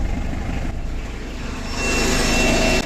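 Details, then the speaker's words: Diesel with glow plugs, jump-started by a Profiline booster from a badly discharged 7 V battery: steady idle clatter growing heavier as the alternator strains under load charging the flat battery, voltage around 12.5–12.6 V; running normally. "Отже генератор відчутно важко він намагається підняти сильно розряджену акумуляторну батарею"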